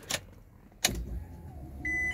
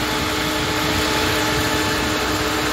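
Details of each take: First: ah oh yep I heard it I heard it go then we have got power yes yes yes Second: right I just had to switch the engine off because the fans would not stop even though I plugged the switch back in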